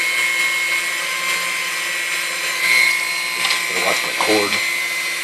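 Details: Chrome Dormeyer 4300 Silver Chef mixer after service and maintenance: steady high motor whine holding an even pitch, a few clacks from handling; motor healthy, mixer good to go.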